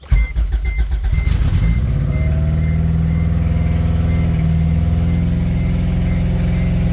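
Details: Acura Integra DA9 turbo project at start-up, no coolant in it yet, idle lowered in the tune's idle parameters; it cranks and fires, then holds a fast steady idle that never drops, still idling high. Owner suspects a vacuum leak, possibly a ripped throttle body gasket.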